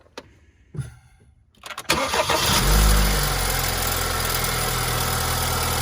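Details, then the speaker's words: Hot petrol engine, just driven about 30 miles after adding a thick oil additive, starts, flares, then idles with a dull knock underneath; the additive did not stop it, rod knock needs mechanical repair. "okay so what does that tell you what does that tell you it tells you that it doesn't work all right so you have an engine knock"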